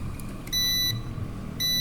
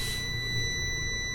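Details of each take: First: Prolink 700AC UPS with its cover removed, switched on without mains: a short high-pitched beep, then a longer steady beep over a quiet hum; normal, running on battery with the battery icon shown. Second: Prolink 700AC UPS, plugged into mains: steady high-pitched warning beeps over a low hum, the same whether switched off or on; battery has run low, likely no battery charge.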